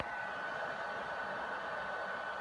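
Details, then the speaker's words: PS4 console running very loud, a steady hair-dryer-like whoosh with faint whistle as its cooling fan roars through clogged dust. "so as you saw in the intro my PS4 is very loud it makes a ton of noise mainly because uh fans all clogged up"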